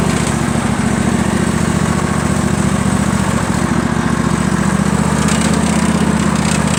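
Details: John Deere L118 twin on a cold start, running a faulty carburetor before a new one is fitted: rough, uneven, lopsided idle that only keeps running on choke; one cylinder is not firing correctly because of the bad carburetor.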